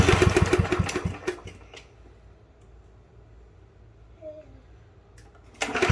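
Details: Yard Machines push mower, model 11A-02MG029, free and non-running: a pull brings a few ragged sputtering firings, then it won't keep running; carburetor to be removed and checked, cause unknown.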